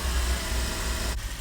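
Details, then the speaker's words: Suzuki Swift DOHC engine idling after fitting and adjusting a new alternator/water pump belt that had broken; smooth even idle with no belt squeal or slip when revved; charging fine. "It's purring like a kitten."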